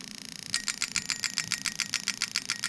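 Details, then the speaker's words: Lexus 1UZ-FE non-VVT-i harness on the bench for an IS200, engine not running, fed a low simulated RPM signal: crisp, even injector clicks, about seven a second, injectors firing normally. "Okay, so we got it on quite a low RPM, so you can hear them clicking distinctly."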